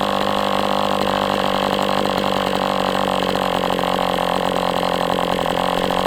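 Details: MDS 68 FS Pro model engine on a break-in run, heavy exhaust smoke: steady even high buzz at constant speed, no misses or sag. Running well, better than with the idle bar plug, after carb tuning.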